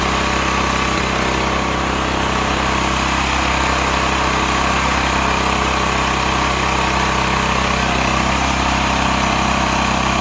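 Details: Stanley 8000 W all-weather generator, bought used after sitting four years, running warm in cold weather without choke; owner suspects a choke problem; steady, even drone with fast regular beat, no misses or surging; running smoothly.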